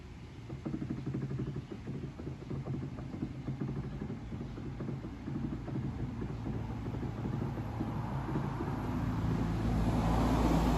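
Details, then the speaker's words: Samsung inverter front-load washer after DC motor rewind (star connection): drum turns in smooth low hums weighing load three times, no grinding or knocking; repair passes. "ช่างน้ำหนักผ้า3รอบนะครับก็จะขึ้นมาเป็นตัวเลขบอกเวลานะครับ"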